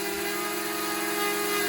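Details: DJI Mavic Mini drone with propeller dust covers removed, test flight: steady, even buzzing hum with clear unwavering pitch, no ESC beeps or rubbing; motors and props running smoothly.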